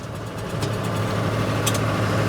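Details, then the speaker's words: 1963 Ford F100 on its first drive after revival, just after running in third gear and still smoking heavily: a steady, brisk, even-firing hum sitting faster than a relaxed idle. The idle is set too high and needs turning down. "Definitely need to turn the idle down."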